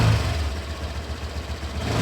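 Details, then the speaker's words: 2019 Honda Vario 125 at idle/low rpm: low, uneven steady growl, unchanged after shimming the radiator cover. Source not yet found. "Ternyata masih tetap saja tidak ada perubahan, masih tetap kasar dan ngorok suaranya."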